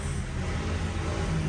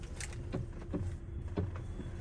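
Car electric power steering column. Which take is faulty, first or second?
second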